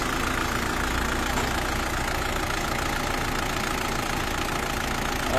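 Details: Isuzu D-Max diesel with a low-power, no-start complaint and diesel leak: even, steady diesel clatter at idle with no misses or surging; normal diesel idle.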